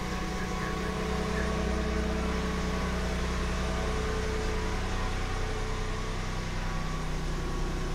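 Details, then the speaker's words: Mercedes E320 W210 with 207,202 miles, which had stalling and poor running, started just after a new catalytic converter was fitted: steady, even low rumble with a smooth, unchanging beat and no puffing or ticking; healthy idle with no exhaust leaks. "Okay, that's good. I don't hear any huge exhaust holes or anything. So I think that's a win."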